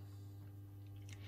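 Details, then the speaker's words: Large isolating transformer under a desk, used so a Sunkko 709AD spot welder stops blowing mains fuses: steady deep low buzz with no change in pitch or level; normal transformer mains hum, not the welder. "u can hear most likely in the video. And it's not that unit, it's a very beefy isolating transformer that lies under my desk."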